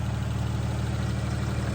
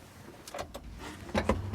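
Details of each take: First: 1988 Daihatsu Hijet mini truck after refueling (it had run out of fuel) and carburetor tuning: even, steady low putter with no misses or stumbles; normal idle. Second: 1988 Daihatsu Hijet mini truck, left sitting for years: the starter churns slowly and unevenly and the engine never catches. The battery seems too weak, so a jump box is hooked up next.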